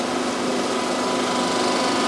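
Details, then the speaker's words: Aluminium cylinder head, resurfaced on a stone-type machine after gasket blow-by: steady, even hissing scrape with no chatter or digging-in as swarf comes off; the stones are cutting cleanly. "the moment you can hear that cutting you can see the swarf coming off at the back there so that is cutting quite nicely"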